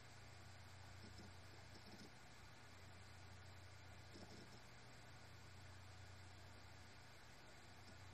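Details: Seagate BarraCuda 8TB ST8000DM004 hard drive, 10,325 hours, 2,118 reallocated sectors: faint steady low hum with soft hiss and no clicking; the earlier abnormal noise stopped after swapping to another maker's SATA adapter board.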